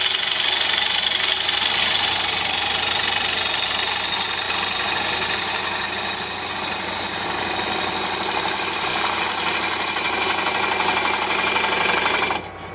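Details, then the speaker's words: Hollowing a bowl from a single block on a lathe: a harsh cutting hiss with a rhythmic banging about four a second. The gouge bevel is bouncing and rubbing instead of cutting, with not enough edge engaged. "you hear that banging I was beating the bevel right through here I wasn't cutting enough edge"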